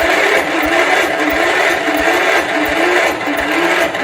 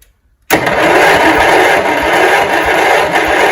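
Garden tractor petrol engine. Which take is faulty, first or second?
first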